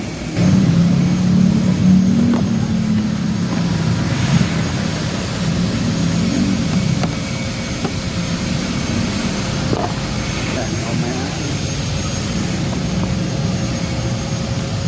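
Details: Honda Beat Deluxe fuel-injected scooter: engine holds a raised, steady drone at idle with no throttle input. High idle speed; throttle cable checked normal, a hose found missing.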